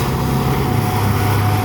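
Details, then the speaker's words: Volvo Penta sterndrive Chaparral in a run tank, first load test after repairs (fuel system, trim, plugs, reconditioned props): full throttle, low RPM but heavy load like takeoff; low steady drone, no knocks or misses, pulling cleanly. "and this amount of load testing typically even though the RPMs are low this is a tremendous amount of load for the boat like when it's first trying to take off in the lake"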